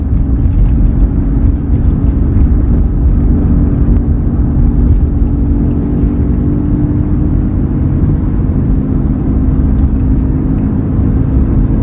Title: Humming noise is present on this 2003 F 150